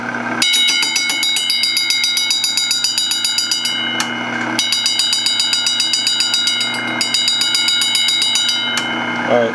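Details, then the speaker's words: Meat slicer running the blade against the rear sharpening wheel: fast, steady metallic clinking over the motor hum, because the back wheel needs adjusting. "you guys hear the clinking noise so the back wheel needs to be adjusted a little bit"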